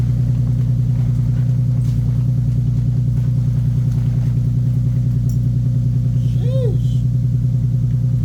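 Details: 2015 Nissan 370Z after front-end collision and frame repair, idling after its cold start: steady, even idle with smooth low pulse, no knocks or ticks; running good, healthy.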